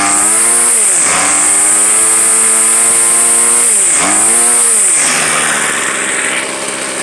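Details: Two-year-old gas weed eater, started after priming and five pulls: the small two-stroke buzzes at high speed, drops back twice and picks up again, running smoothly with no misses; normal.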